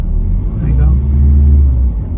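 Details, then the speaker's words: 2008 Toyota Estima E-Four X Hybrid petrol engine starting when the accelerator is pressed. It catches quickly and settles into a smooth, even low rumble with no knocks or misses; runs perfectly. "Hear the engine runs absolutely perfectly."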